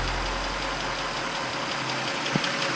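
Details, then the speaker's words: Audi S6 bought from Copart, first start after new turbo install, run with no coolant, heard from outside the car: a steady, even idle with no misfire or loud knock, running smoothly. "all my words it started it actually sounds amazing unbelievable let's go see how it sounds on the outside [Music] Wow absolutely purring"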